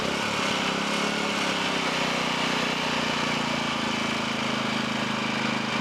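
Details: Low-hours 11hp Generac generator engine, generator head burnt out, after freeing stuck carburetor idle control: single-cylinder holds a steady, even governed speed with no hunting, misfires or knocks; running fine.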